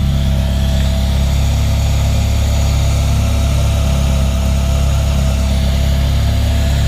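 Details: 1994 Honda Civic EG K20-swapped time attack race car, first start in a while after fixing fuel line leak from sitting; deep, loud, steady idle through full three-inch custom exhaust, firing evenly, no stumbles; healthy idle, fuel pressure good.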